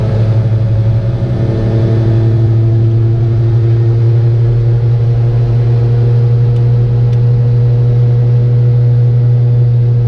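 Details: Piaggio Ape 50 two-stroke: loud steady low drone with buzzy hum and no clear knock; abnormal engine noise, cause unclear.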